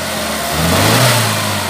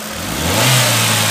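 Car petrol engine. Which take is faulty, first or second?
first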